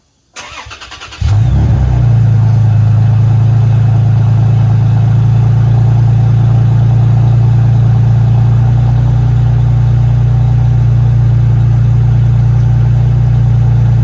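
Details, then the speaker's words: Toyota Tacoma just fitted with home-built custom exhaust (total flow muffler, V-band clamp, Fortluft tubing): engine cranks, catches and settles to a smooth, mellow, fairly tame deep exhaust drone at idle, no ticks or rattles; normal. "just finished the exhaust and it's pretty tame for the most part."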